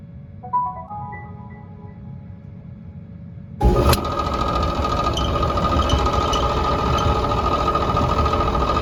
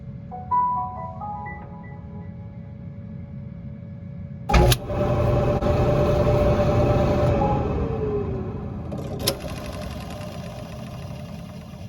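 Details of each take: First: 5-year-old Whirlpool Cabrio dryer: steady hum with a rapid ticking rattle returns once the drive belt is reconnected, traced to a failed, loose idler pulley bearing that needs replacing. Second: Whirlpool Cabrio dryer, 5 years old, run with the idler pulley belt disconnected: chimes, then a smooth motor hum winding down with no rattle, so the loose, rattling idler pulley bearing is blamed for the noise and gets replaced.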